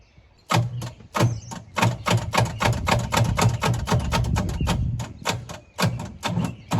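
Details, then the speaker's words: Pontiac Fiero engine just broken loose after sitting: it turns over slowly and unevenly, about two labored chugs a second, cranking far too slow. Oil down the cylinders is planned; the cause is unconfirmed. "I'll tell you what, though, the thing's not spinning over very quick at all. I guess we can throw a little bit of oil down the cylinders, crank it over a little bit more, throw plugs back in it, and see if it does anything. It doesn't sound like it's cranking over as quick as it shoul"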